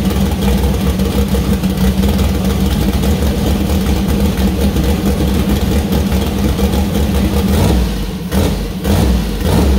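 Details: First start of freshly built 2000+HP LS V8 (Dart LS Next block, Brodix BR3 heads, .750 lift solid roller cam): deep lumpy rumble rising cleanly when revved and settling evenly, no rattles; healthy, small oil leak at cam-driven fuel pump.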